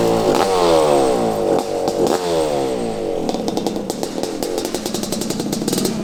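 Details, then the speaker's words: 1985 Honda CR500 two-stroke, bought non-running at a swap meet, first start on about half a gallon of fuel: revs in rising sweeps, then an uneven popping idle around four beats a second; running poorly, cause unknown. "idle sounds like it's not running right ah it's even if it's not running right"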